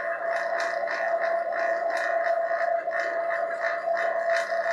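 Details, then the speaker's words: Home-made 1234YF recovery machine (2018 Mustang AC): vacuum pump pulling vacuum on the unit with the tank valve closed. Steady mid-pitched hum with a rhythmic hissing pulse, tone changing as it pulls down. Normal operation. "change a tone is it calling a vacuum on that part of the unit and as soon as i open this valve up it'll change tone again because it'll have to pull this down into a vacuum"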